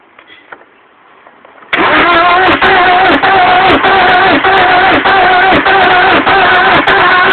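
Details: Alfa Romeo 147: starter churns steadily, engine never catches; cranks but will not start.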